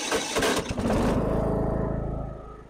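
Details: Lawn tractor that squealed and wouldn't start because of worn starter teeth, after the starter is replaced: a brief rough crank, then the small engine catches at once and runs steadily.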